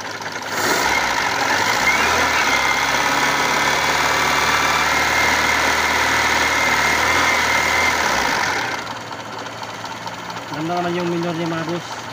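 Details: 1997 Kia engine that would not start after sitting six months: after the ignition-switch supply wire was bypassed with a direct feed, it turns, catches and holds a steady idle, then settles lower, running cleanly.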